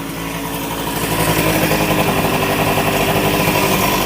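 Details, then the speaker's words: 1988 Honda Vision Met-in 50cc two-stroke scooter with a freshly cleaned carburetor, after an idle adjustment: still buzzes at a steady, fast idle that never settles; the idle speed is still too high. "I think it should ID a little bit lower than that"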